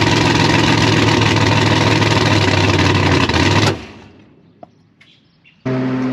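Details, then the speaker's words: Gasser C10 race car on fire-up: engine pops and runs loud for a few seconds, then shuts off abruptly; owner plans to back the idle mixture screws out to 1.5 turns, fuel mixture suspect. Stall on startup. "So upon fire up, it just pops and then shuts off."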